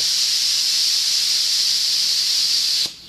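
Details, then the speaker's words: Steam safety valves set at 120–130 psi, blowdown adjusted; sharp loud hiss holding nearly three seconds then cutting off cleanly as the valve reseats, slight seepage expected: normal safety valve pop. "there she goes I love it pop nice and they you know they're all going to leak a little bit you can't stop that"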